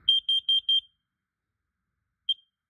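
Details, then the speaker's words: Upstairs alarm during an August 2 smoke and carbon monoxide alarm test: four quick high beeps, then one chirp after a pause, fairly quiet but clean; alarm test normal. "it does still work. Just totally forgot to test it."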